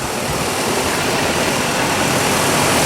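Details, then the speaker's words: Dodge Caravan, 147,000 miles, after new spark plugs, wires and power steering reservoir; steady smooth idle under a wash of hiss, no knocking, misfire or whine, runs nice and smooth. "yeah that sounds great Happy Van oh yeah nice and smooth 147,000 Mi"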